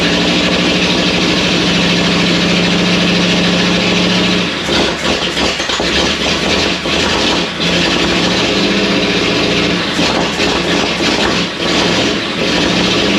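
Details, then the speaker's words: First start of a freshly built 59AB flathead V8 in a 1937 Ford, new tight engine on an old 6V system after a starter swap; it catches and settles into a steady, even beat with no knocks or misses, about 30 psi oil pressure, no radiator fitted yet. "Well, how about that? That appeared to do something. I guess it runs. Holy moly!"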